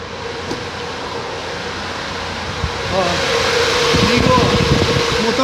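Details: 2003 Ford EcoSport 1.6 overheating: fan roar swells sharply as it jumps straight to high speed with no low stage; low-speed fan circuit inoperative.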